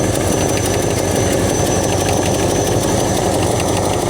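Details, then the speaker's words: 60-year-old Ford Galaxie idling warm: steady rumbling idle with a constant airy hiss and a slight tap; vacuum leak somewhere, location not found. "I also hear a I hear a hell of a vacuum leak somewhere. You hear that?"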